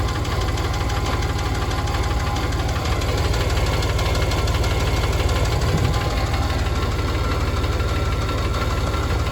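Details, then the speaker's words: Porsche 991 engine, 39,000 miles, meticulously maintained: heavy metallic knocking hammers steadily in its last seconds before failure; the cylinder 4 rod journal bearing was destroyed, with bore scoring that caused the clicking and oil copper almost 5 times normal. "And the bore scoring that went with that and gave us our clicking noise. Oh yeah, would you like to hear the last few seconds of this engine's life?"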